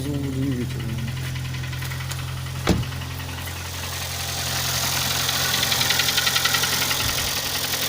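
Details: Kia Sportage 3 engine knock: fast, fairly regular tapping of about three to four per second over idle and revs. Louder cold and quieter warm; present at low speeds, gone at 60-90 km/h, returning when re-accelerating. Cause unclear.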